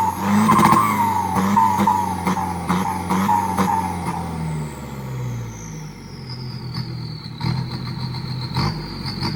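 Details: Isuzu FRR210 truck, 4HK1 diesel, after turbo replacement and customer-supplied louder exhaust; scan shows problems at injectors 1 and 4: revs up with light even clatter, pitch falls smoothly back toward idle; sounds healthy and steady.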